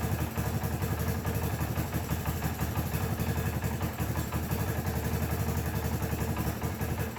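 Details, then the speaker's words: 1984 Honda ATC 200es Big Red after valve adjustment, idle turned down: even single-cylinder thump at about three pops a second with no ticking or clatter. The earlier noises are gone and the idle is healthy. "actually sounds much better than it did in there um everything sounds as it should all noises are gone"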